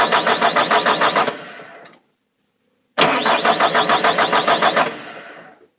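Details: Bobcat T300 turbo: two cranking attempts at about three and a half turns per second, steady rhythm, engine never fires; cranks but won't start.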